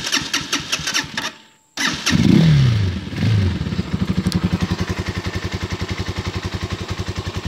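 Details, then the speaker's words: 2018 Serpento Taypan 200cc motorcycle, started in neutral with clutch, barely any throttle, no choke: brief cranking, pause, catches first try and settles into even thump about 220 beats a minute; idle about 500 rpm; normal start. "To get my hand for the throttle, just barely every time it starts. You have to give it barely throttle, but no choke."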